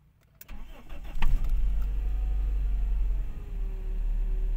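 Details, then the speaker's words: 1994 Toyota Great Corolla 1.6 SEG manual: brief starter whir, then the engine catches cleanly within a second and settles into a smooth, even low idle at normal rpm. A normal start. "RPM normal standar ya AC kita Nyalakan dan kita lihat Rp m-nya Oke begitu kita Nyalakan RPM tidak anjlok Masih normal"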